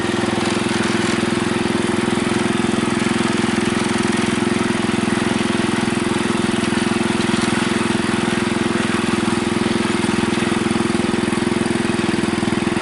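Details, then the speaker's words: Bolens Husky 600 garden tractor with a replacement single-cylinder engine and a quieter new exhaust: a steady, even beat around three firings a second with no misses. The governor responds to heavier load, so it's running healthy. "You can hear when this engine senses a heavier load, it responds."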